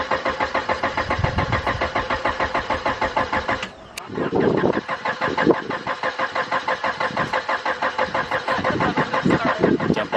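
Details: Honda Prelude BB6 after a fuel pump and main relay replacement, with the fuel pump now audible: the starter churns evenly at about three pulses a second with a pause midway, but the engine never fires; it cranks with no start.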